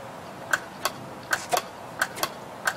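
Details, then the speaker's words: Washing machine water level pressure switch tested by blowing into its hose; crisp paired clicks one or two a second, switch snapping over cleanly, diaphragm intact, working. "hear that? Hear that clicking sound up there? That's a good switch. That means it's working. The diaphragm's not broken."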